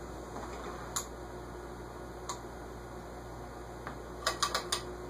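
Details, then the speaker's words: SMC A52 vintage ceiling fan; quiet hum with sparse irregular ticks and a quick cluster, still rubbing, sounds like the top; owner suspects something scraping on the bearing, unconfirmed until disassembly. "Yeah, it sounds more like something scraping on the bearing eyes, but it'll be hard to tell until I take it apart."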